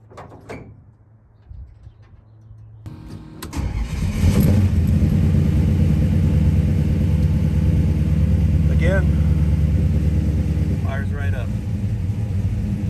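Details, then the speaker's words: Classic Mopar Duster, which had failed to start on a cold morning: quick crank, then it catches promptly and settles into a steady, even idle with no stumble. Normal start and idle. "i mean it fired up fine just like this last night"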